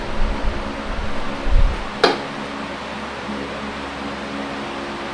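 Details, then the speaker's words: Late-1970s Super 16-inch oscillating fan before restoration: steady, even motor hum with soft airy rush, coasting down after power cut with no bearing or gearbox noise, no rubbing or grinding; normal fan operation. "we'll cut the power and let it Coast down no bearing noise no gearbox noise from a fan that is almost 25 years old or somewhere around there"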